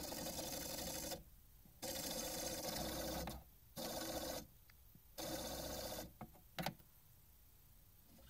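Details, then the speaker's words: Record player with stuck motor, not spinning properly; bursts of harsh buzzing grind starting and stopping with quiet gaps and sharp clicks, owner suspects a new motor is needed. "Okay, so this record player I got it from my girlfriend, and now it's making weird noises and not spinning properly."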